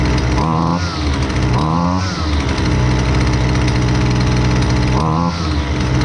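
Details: Husqvarna 128LDX two-stroke string trimmer, fixed after sitting unused, during high and low speed jet carb adjustment: raspy revs in bursts, holds a high crackling pitch, then drops back; responding normally as mixture is set.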